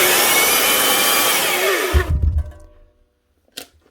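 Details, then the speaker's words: Makita 9402 belt sander before repair, running rough and squealing loud: harsh high-pitched roar winding down with a grating rumble; a bearing sounds gone, hopefully in the motor, bronze bushings also suspect. "Second off, it sounds like there's a bearing gone somewhere. Hopefully in the motor."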